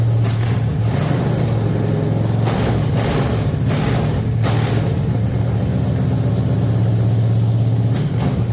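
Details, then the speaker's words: 440 V8 running on engine stand: deep, loud, uneven loping idle with brief throttle blips, running steadily; owners had worried the cam was flattened but it has a lump, normal lopey cam idle. "it flattened it out I think we did it's got a rump it does have a rump"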